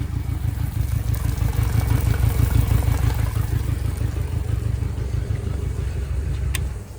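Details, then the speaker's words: Yamaha 60 hp outboard on a 17'5 On the Bay Craft skiff, first start, steering cable not yet hooked up: low, even putter at about three beats a second with no misfire; normal smooth idle. "All right. All right. I mean, she's idling good."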